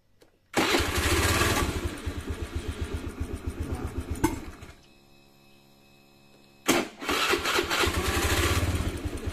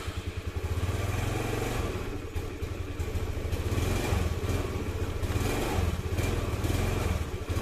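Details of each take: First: Honda Beat FI scooter after repair of hesitation and dying when throttled, fuel pressure holding with no leak-down: engine catches at once, steady even putter, stops, then restarts cleanly. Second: Honda Beat FI scooter chugs unevenly and dies or sputters when throttle is opened, lacking power; likely weak fuel pump pressure, with TPS sensor and spark plug cap also suspected; to be checked with a pressure gauge.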